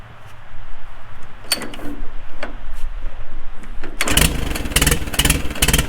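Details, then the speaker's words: 4-cylinder tractor right after a magneto was installed and timed, fuel on with a little choke: magneto impulse clicks while slowly cranking, then it catches at about four seconds and settles into a low, steady chug; clean start and idle. "okay you're gonna hear the the magneto impulse and then hopefully it'll start right up"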